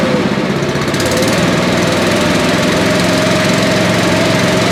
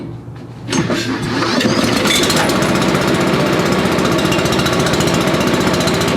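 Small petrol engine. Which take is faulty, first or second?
second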